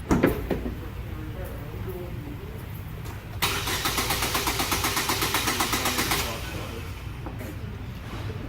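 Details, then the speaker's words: Starter cranks steadily at a quick even beat for about three seconds but the engine never catches; crank, no start. "basically a crank no start means that that engine is not getting something sufficiently like let's say it's not getting a good spark it's not getting a good like air intake"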